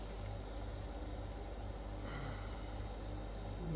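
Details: LG refrigerator, over 10 years old, after its squeaking condenser fan was replaced with a new 220 V fan and the connectors redone with heat-shrink: steady low hum with a soft airy rush, running smoothly without squeaking.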